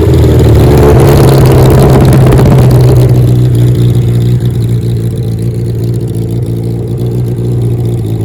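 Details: 1977 Kawasaki KZ1000 sidecar racer four-cylinder, revived after long storage, starter clutch missing: strong rev falls back to smooth even idle, no ticking or knocking, no smoke when warmed up; normal idle.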